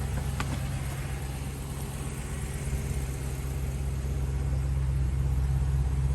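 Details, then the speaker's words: 2013 Chevy Caprice PPV with a 6.0L V8, just revived: a steady, even low rumble at idle with no knocks, ticks or bumps, and nothing odd smelt in the exhaust. It idles smoothly and sounds healthy. "i don't smell anything untoward in the exhaust i don't hear any weird noises or bumps or knocks ladies and gentlemen that car is running it's idling"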